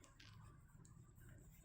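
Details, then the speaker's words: Porsche Boxster 986 rear wheel bearing: a brand-new bearing spun by hand turns quietly with only a soft low hum, a big difference from the noisy old one. Smooth, quiet wheel bearing. "Big difference."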